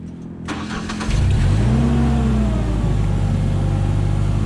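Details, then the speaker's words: Genie S40 boom lift, Ford LRG 425 engine, after timing belt and tensioner replacement: quick crank, then it catches at once and settles into a smooth, steady idle with no misses, showing timing is correct. "Starts right up. It sounds smooth, so we know our timing's good and everything's good. If our timing is off, it'd be hard cranking or starting, but it sounds smooth. Everything sounds good."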